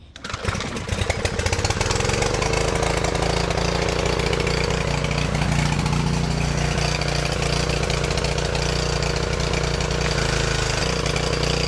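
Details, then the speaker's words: Craftsman 2800 PSI pressure washer, Briggs & Stratton 163cc, after carburetor work and linkage readjustment: catches after a few pulls, steady even run with no misses or surging. "We got this thing up and running again."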